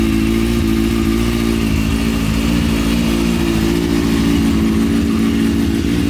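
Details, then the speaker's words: Motorcycle after front end swap, stunt chain conversion and new small stunt exhaust can: engine catches and holds a steady, even beat with crisp revs through the short can; runs really nice, normal. "it runs it runs sounds it sounds like it's running really nice now"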